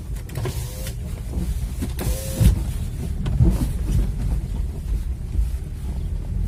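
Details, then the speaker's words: Car driving: irregular short squeaky, grinding creaks from the front suspension over low road rumble; owner first suspected front control arm bushings, but cause found to be a torn rear bushing of the lower control arm. "всем привет такая ситуация появился такую довольно неприятный скрип в передней подвеске такой скрипящий такой скрежещущий звук очень неприятный"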